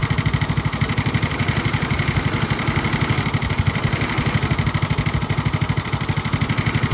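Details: Restored Tony Kart (Kosmic) go-kart small engine, first start, idle turned up: quick even exhaust pulses at slightly raised idle, steady rhythm, no misses or knocks; idles smoothly.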